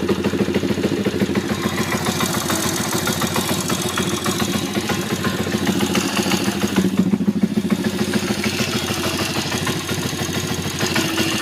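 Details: YX140 engine at very low idle: a loose, uneven clatter of about three knocks per second from the right (clutch) side. The noise disappears when revs are raised.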